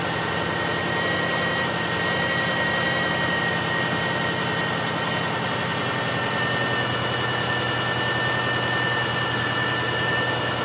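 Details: 2007/2008 Subaru Forester 2.5X idling after replacing the failed alternator with a known-good unit, now charging: smooth even idle with faint steady high alternator whine, no knocks or stumbles; normal idle.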